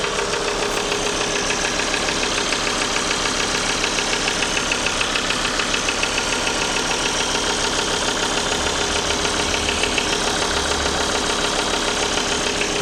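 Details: Sharp, even clatter at idle, about two ticks a second over the engine hum; engine knock caused by a failed oil pump and lost oil pressure.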